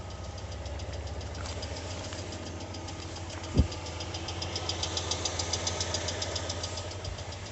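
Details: New 2020 Lada Largus, 3,300 km: quiet idle with faint, rapid, regular ticking knock underneath, comes and goes cold or hot; cause was a factory-defective cylinder head, replaced under warranty.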